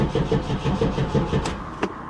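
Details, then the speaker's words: 1994 Pontiac Firebird Trans Am 25th Anniversary, LT1 V8, 119,000 miles: fuel pump audible, then the starter spins at an even five to six pulses a second and the engine never catches, with occasional brief pops. Battery weakening; out of gas. "It just cranks. I have occasionally gotten it to kind of pop off, but it not for long."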